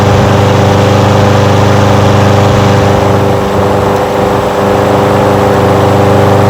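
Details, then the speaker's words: Old curbside Craftsman push mower restarted after float and needle-and-seat carburetor work: steady, even small-engine drone with no misses or knocks, running cleanly and sounding healthy. "tell you what that sounds pretty good don't it sounds pretty darn good to me"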